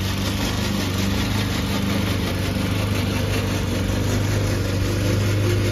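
Steady low mower drone with a rough, uneven rattling racket over it while cutting, pointing to a dry, noisy drive system.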